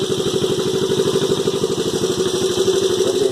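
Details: 1986 Honda Fourtrax 125 single after top-end rebuild, exhaust pipe repaired and refitted: quick steady even putter at constant pitch, no knocks or rattles; normal idle, engine healthy.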